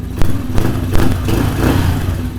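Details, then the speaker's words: Small carbureted engine, choke fully off, cold before warm-up, pilot air screw not yet tuned: low steady thump at relaxed idle, no hunting or misfires; normal idle. "Now, I gotta tune the pilot air screw, but I gotta let it heat up to normal temperature. But it sounds great already."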